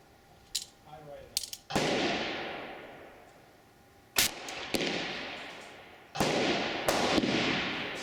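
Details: Replica Colt Paterson revolver misfiring: sharp hammer snaps with only a few loud cap cracks spaced irregularly; suspected weak mainspring giving too little hammer impact, or overly insensitive percussion caps; percussion cap misfire.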